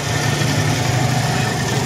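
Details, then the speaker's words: R180 single-cylinder engine stored 4 years, running after new CDI, battery, fuel hose and carburetor cleaning: noisy idle with rough clattery undertone; connecting rod has slight up-down play, piston and cylinder scored. "pinakahuli conrad up down maramdaman mo mayon siyang alog konti so desisyon mo yan sir kung hindi natin papalitan ng Conrad mayon siyang tunog konti"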